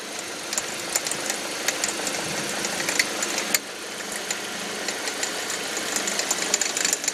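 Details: 2005 Audi 1.8T under load in gear: irregular popcorn-like crackles and taps over a hissy, mid-pitched engine, seemingly from around the alternator; newly started, no check engine light or oil pressure errors; owner wonders water pump or alternator; cause unclear.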